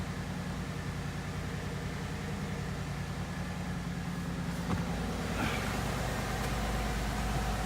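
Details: 2015 Ford Mustang GT V8 just fitted with a PMAS cold air intake (no-tune version, recalibrated MAF, sound tube blocked off): quiet, even low rumble at steady idle with no knocks or misses; idles normally.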